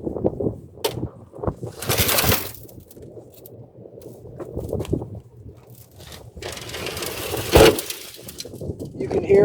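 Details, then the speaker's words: 1961 Chevrolet Corvair truck tailgate rocked by hand: irregular loose rattles and gritty scraping from rust pieces and sand rolling inside the tailgate cavity, which needs opening up. "can hear all the pieces of rust and bits of sand rolling around in there. That's got to be opened up, I'm sure."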